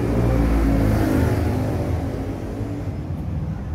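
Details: Toyota 1GD/2GD diesel engine running with a rough, steady whirring rumble from worn alternator bearings, which are to be replaced.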